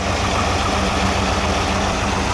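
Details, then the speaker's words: GM LS4 V8 idling after a new Dayco 6PK2900 serpentine belt was fitted; the old belt squeaked a little: smooth, steady idle rumble with no squeal or chirp. The belt drive is now quiet. "Sounds good so far. And there it is. Absolutely no noise coming from this belt, which is good. It was squeaking a little bit."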